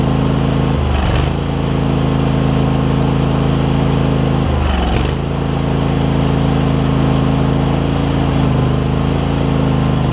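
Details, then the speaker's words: Craftsman garden tractor Kohler CV20 twin, pre-warmed, after carb clean and idle adjustment: starts without choke, steady drone with two brief dips as load comes on releasing the brake, recovers smoothly; healthy. "you can see it starts straight up without choking it or anything I had it warm already but when I L off the brake you'll hear it catch and it'll kick in a little"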